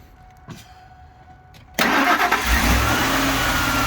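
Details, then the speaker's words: 2004 Lincoln Navigator 5.4L V8 after alternator replacement; short crank, catches at once, steady even idle without knocks or squeals, charging at 14.45 V; normal start and idle. "So we're gonna go ahead and start it up, Sean. We're gonna watch this and make sure it's charging. It should charge right around 14.5 volts or so."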